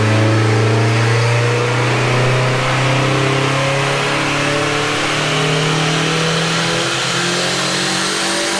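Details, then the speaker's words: Mk2 GTI with built AWC 1.8T 20v, T70 .63 turbo, ECU Master, on the dyno with the earlier map, about 1.45 bar boost on pump fuel: engine pulls cleanly, pitch climbing smoothly with no knock, stumble or flutter; healthy under full load. "But yeah, that sounded healthy. Let's hear what it sounds like from the back. That sounds mean."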